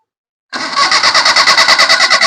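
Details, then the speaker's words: Maruti Suzuki 800 MPFI that stalls after driving then won't restart, fuel pump already replaced; steady fast cranking with even pulses, no firing; crank no-start traced to a corroded ignition coil connector. "നമ്മളിപ്പോ start ചെയ്യാൻ നോക്കുമ്പോൾ വണ്ടി start ആവുന്നില്ല."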